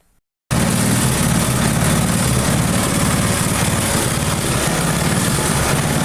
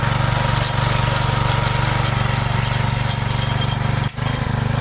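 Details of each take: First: Briggs & Stratton engine on a neglected free rototiller runs with a slightly uneven, pulsing beat, speed drifting up and down; mild hunting, owner hopes more runtime will settle it. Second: Free neglected Briggs & Stratton single-cylinder rototiller, revived with choke, throttle and stuck cables freed, short test run; steady even beat at constant speed, no missing or rattling, running perfect.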